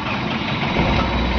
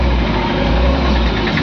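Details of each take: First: Mahindra Xylo D2 2013 diesel idling after restart, checked for the earlier P0117 coolant temperature sensor code that made it jerk and shut off; even, steady rumble at idle with no misses, knocks or hunting; idling cleanly. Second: 2013 Mahindra Xylo D2 diesel with DTC P0117 (coolant temperature sensor signal range), check light on and temperature light flashing: engine rumbles unevenly with jerky dips and surges, loses pickup, stumbles and stalls while driving; coolant temperature sensor fault.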